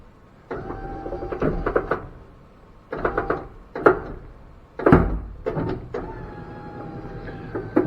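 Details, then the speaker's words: Square body dually truck converted to power windows, after burned wiring: short whirring motor bursts with thump at each end as glass runs quickly up and down; normal, fast power window operation. "got a square body and you've got power windows tell me that speed is not impressive"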